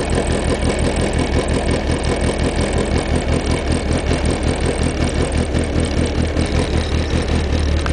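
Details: 1992 VW GTI 16V cold start (9A block, ported/planed head, exhaust cam cut for intake, short-runner intake, G60 injectors, Digifant 1, SNS stage 5 chip): uneven, wandering low lope, a rough cammed idle.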